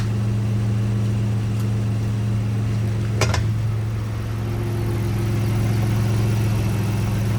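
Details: 2010 Lincoln MKX AWD at idle: steady low hum and whir under the idle that does not change; bad water pump.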